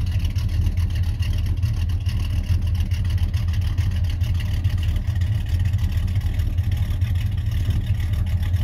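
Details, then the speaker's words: 1991 Chevy Silverado C1500 350 V8 with Summit cam and 650 double-pumper carburetor, idling around 600–650 rpm: low loping rumble about two beats per second, steady with no pops or misfires; normal cammed V8 idle. "but when i put this 650 on a double pumper on it it seems the the the love to be out of a little bit lower so right now it's at 600 650 um rpm but it runs pretty smooth you know it don't pop and it's got a nice sound to it"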